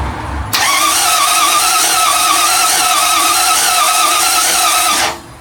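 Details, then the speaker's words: MGB GT V8 first crank after rebuild, in neutral, ignition disconnected to build oil pressure; loud, steady high-pitched squeal for about 4.5 seconds of cranking, then cuts off. Thought to be the new starter motor; no fuel yet in the filter. "That squealing noise must be the new starter motor. Yeah, I'd say. It sounds quite powerful, doesn't it?"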